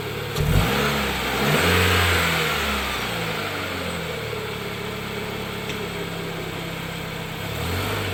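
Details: 2013 Dodge Dart after replacing the noisy passenger-side engine mount with a cheap aftermarket one: engine revs up and drops back to a steady even idle, no clunks or shudder; mount holds engine firmly. Finding: normal idle.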